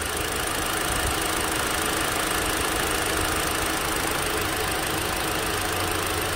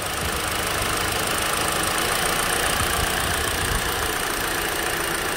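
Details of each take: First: Hyundai Elantra SE petrol engine idling with an uneven, stumbling, shaking beat while one ignition coil wire is unplugged, steadying once reconnected; one-cylinder misfire at idle. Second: Hyundai Elantra SE petrol engine idling with an even, steady hum and no stumbling, after an unplugged ignition coil wire was reconnected; unplugged, it shook from the misfire.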